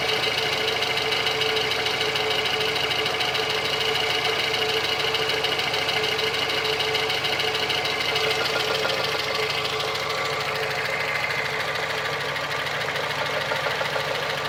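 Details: VAZ 2115 at 203,000 km without overhaul: sharp light tapping around 200 per minute over a steady idle, camshaft axial end play; knock stops when the pulley is pressed with a wrench.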